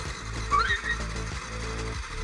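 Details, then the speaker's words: Yamaha WR125 with a failed starter/ignition switch circuit, starter solenoid bypassed by bridging the main leads: steady even whirring crank with no grinding or slipping; the starter motor turns the engine over normally. "Starter's working. We might start now."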